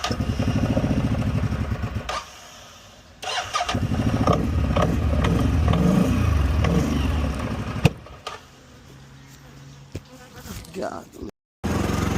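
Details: 2015 CFMOTO 800cc EFI V-twin ATV, 818 miles, first start after sitting over two years, with a new AGM battery and fresh gas. It cranks, catches, and settles into an even, lumpy idle with a few blips, no knocks or rattles; it runs normally (a left-case oil leak was found later).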